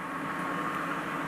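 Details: BMW EV conversion, first run of electric motor and gearbox with new adapter plate and shaft coupler, gearbox in gear spinning driveshaft: smooth even whine and hiss, no knocks, play or vibration; sounds better than with old jaw coupler.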